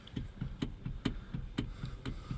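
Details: 2013 Hyundai Sonata Hybrid, car on, steering wheel rocked: quick dull clunks, about four a second, with excess steering slack developed over the past month, from a worn plastic steering coupler at the column motor.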